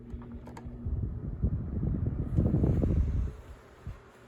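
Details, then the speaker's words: Galaxy 16-inch oscillating fan, thrift find with a head that won't stay up and a loose rear guard (nut behind blade hub suspected), switched on low. After a stiff switch click, a soft whir starts slightly slow, then settles into an even drone: normal running. "seems to be running okay started off a little slow but whatever that doesn't seem bad"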